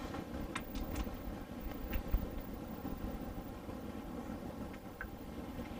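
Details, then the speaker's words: Diesel heater newly installed in a school bus conversion, slow startup: steady low rumble with light ticking from the fuel pump as the burner catches and settles; normal slow light-off. "if you listen really carefully you can hear the ticking that's the fuel pump not a bomb"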